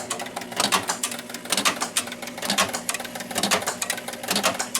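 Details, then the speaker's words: 1976 Williams Space Odyssey pinball machine after start with free-play hack: busy relay and cam clicks about once a second never stopping; score motor runs continuously while the ball eject keeps cycling after the ball is out. "the score motor is continuously running."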